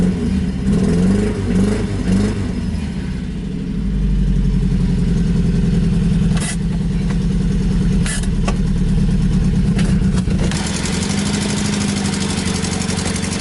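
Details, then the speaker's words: 1986 Toyota pickup, 160,000 miles, brand new carburetor, manual: after pumping gas pedal twice it fires right up into loud, steady idle with deep even exhaust beat, no misses or knocks; healthy, noisy from open stack. "pump the gas pedal twice and then turn it it fires right up pretty loud with a stack right behind your"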